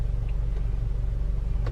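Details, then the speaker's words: 2.0T Audi A4 B8, previously rough idle with misfire codes P0300/P0301, after replacing the faulty alternator; steady even low petrol idle with no skips, misfire totalizer reading zero, no more misfire. "so guys there's no more misfire she seems fine so far"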